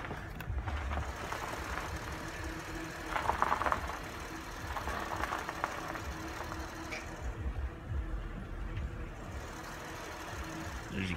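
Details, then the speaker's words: Acura MDX after the power steering whine fix, air bled from the system: engine idles evenly while the wheel is turned left and right, with no pump whine: quiet power steering. "quiet again i'm rotating the wheel rotating to the left so yeah that's the fix"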